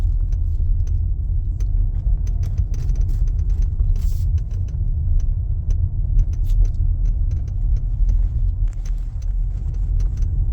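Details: 2017-23 Mazda CX-5 driving on rough road, hot sunny day: sharp irregular clicks and ticks over heavy road rumble as the windshield shifts on plastic alignment pins loosened by thermal expansion; absent in cool weather below about 15°C.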